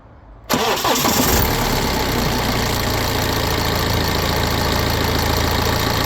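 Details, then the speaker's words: BMW 320d N47 diesel, 181,000 miles, cold start after sitting over 24 hours, after upper timing chain tensioner replacement: a short, faint chain rattle fades within about two seconds into a steady idle, quieter and shorter than before. "So, I don't know if you could hear then, but it definitely sounds like the rattle is almost completely gone. I heard it for about one one and a half two seconds maybe maximum, but it wasn't as loud as before and it certainly wasn't as long as before."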